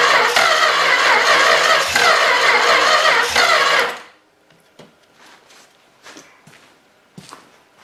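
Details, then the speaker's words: Long-sitting 318 engine cranked via the starter wire touched directly to the battery, jumper cables doubled on the ground: rapid, even cranking for about four seconds that stops abruptly, with intermittent firing and no sustained run. "it's starting to come to life"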